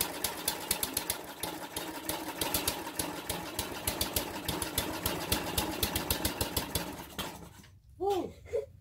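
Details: Briggs & Stratton 2 hp horizontal-shaft engine on a King O Lawn edger, test run with choke on after carb clean: pops fast and unevenly, then cuts out after about seven seconds; owner suspects carb adjustment, not confirmed.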